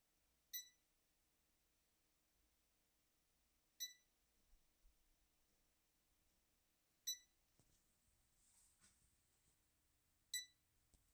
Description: My Tenee DTF printer will not turn on, and it is making a beeping sound.